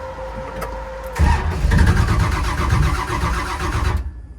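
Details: 572 big-block Camaro during cold-start tuning: starter grinds the engine over about three seconds with uneven low chugging but it never catches; coil heard firing and RPM signal present, yet no start, cause unknown.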